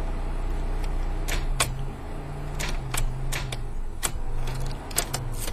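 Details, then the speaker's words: 1992 Pontiac LeMans, 198,000 miles, ran fine, then would not start: sharp, irregular clicks with no cranking. A battery charger did not help; it turned out to be a failed starter. "got it home won't start the starter clicks so here's a little demo of what it sounds like out there that's all it does it just wants to click"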